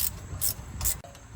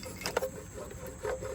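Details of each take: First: Chevrolet Trailblazer SS hub after replacing a noisy wheel bearing/hub, turned by hand: soft, even swish about twice a second with no grinding, clicking or roughness; new bearing rotates normally. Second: Chevrolet Trailblazer SS wheel hub, removed and turned by hand: dry, gritty rasping pulsing about twice a second from a worn wheel bearing, replaced with a Timken hub, part 513-188.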